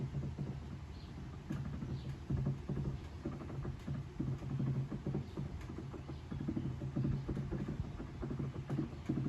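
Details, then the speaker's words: Samsung inverter washing machine after rewinding the DC motor (Y-connected coils): low steady motor hum with soft patter as drum turns three times evenly for load weighing, no scraping or knocking; normal. "ช่างน้ำหนักผ้า3รอบนะครับก็จะขึ้นมาเป็นตัวเลขบอกเวลานะครับ"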